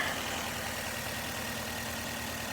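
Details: 2012 Nissan Altima 2.5 L S, engine shaking at idle: uneven, lumpy low thump that keeps skipping a beat; one cylinder misfiring.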